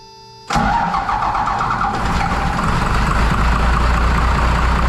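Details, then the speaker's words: 1993 Dodge W250 with 5.9L 12-valve first-gen Cummins, just after injector replacement: starts abruptly then chugs and stumbles unevenly at about three beats a second; air in the injector lines, before bleeding them. "so it looks like we lost our light here and she's Chugga lugging"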